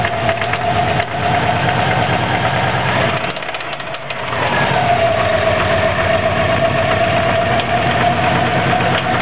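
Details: 2004 Subaru WRX, stage 2 (stock turbo/TMIC/injectors, Enginuity tune, 22 psi boost), heavy knock after doing donuts on pavement: steady idle with a heavy, regular knock about four per second; rod knock suspected, unconfirmed.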